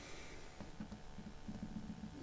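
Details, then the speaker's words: Nissan S15 drift car front end, Driftworks CS2 coilovers run a few years: faint, irregular dull knocks, about four in two seconds, over road rumble on rebound; worn top strut mount bush with visible play. "Here's my CS2s. They've been on for a couple of years now, and other than the knock that they've started to get, been sound."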